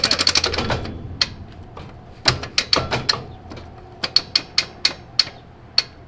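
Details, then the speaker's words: Crown Vic trophy truck differential locker, diff open after setting backlash to 9, passenger-side tire spun: sharp metallic clicks, quick at first then slowing as the wheel coasts, the locker ratcheting normally. "so I'm going to spin the passenger-side tie right now and you'll hear that ratcheting noise"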